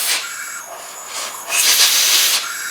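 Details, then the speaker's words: 1984 Craftsman lawn tractor, 40-year-old Briggs & Stratton engine, leakdown test, engine off: steady air hiss escaping out the exhaust, about 75 psi in, none from the breather; likely burned exhaust valve, not head gasket or rings. "I can get about 75 and I got about five on the and it's all coming out the exhaust it's like it's probably a burned exhaust valve"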